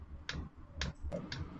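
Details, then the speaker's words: Sunster 5 kW all-in-one diesel air heater during start-up: soft, sharp clicks about twice a second over a low hum as the fuel pump doses diesel into the heating chamber; normal pump ticking. "voilà quand on entend le bruit de la pompe là les petits clacque clacque claac c'est la pompe euh de gasoile qu'en voie le gasoile dans le corps de chauffe"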